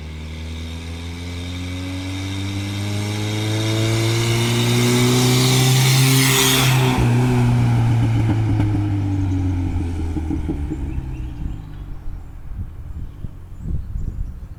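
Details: Toyota pickup 22RTE with a T3/T4 turbo at 8 psi, hi-flow cat and no muffler, revving and settling. A coarse brrr rasp rides on the exhaust note, attributed mostly to an exhaust leak at the wastegate.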